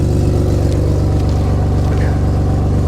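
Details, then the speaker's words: Nissan Skyline R33 RB25DET after a power steering fix (new hoses joined with a stepped brass joiner, air bled): turning the wheel just short of lock, steady engine hum with no whine, the reservoir no longer frothing; normal pump operation. "the reservoir is not frothing up and causing a commotion and bubbling how it did before."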